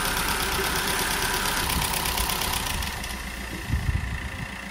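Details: VW Golf 1.4 TSI petrol after timing chain replacement and top-end rebuild following a snapped tensioner and bent valves: even tick-over easing down, no knock or chain rattle; healthy idle.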